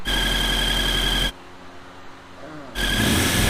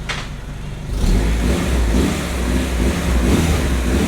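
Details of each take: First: Honda CRX engine running: steady high-pitched squeal over the engine that drops out briefly and returns unchanged. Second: Honda CRX with rebuilt B20/VTEC engine after squeal fix, breather port opened on top and intake manifold vacuum nipple blocked: repeated revs settle with a smooth even note, no squeal; running cleanly.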